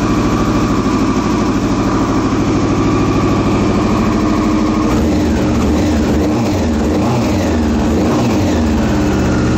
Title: 2001 R6 Rough Idle